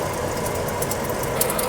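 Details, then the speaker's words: Right-side front wheel of a hard-used Toyota Sienna spun on a lift, with the brake line blocked so one wheel turns, heard via stethoscope: steady rough rumbling grind; the bearing is gone, while the driver's side is quiet. "the bearings on this side are definitely gone"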